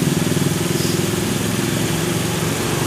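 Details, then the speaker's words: Honda Vario 110 carburetor scooter being checked for lost ignition: a quick, even putter holding a steady idle with no stumbles while the yellow and white spool wires are unplugged. Normal idle. "Kabel warna kuning sama putih kita cabut. Mesin masih hidup, ya kan?"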